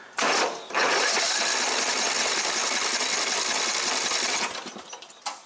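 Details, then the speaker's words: Briggs & Stratton 14.5 hp single-cylinder OHV mower engine, good spark, off choke: starter spins it at a steady churn but it never fires; crank no-start from a wet, fouled spark plug. "I suspect the spark plug is fouled out I'm going to go ahead and remove the plug and let's take a good look at it"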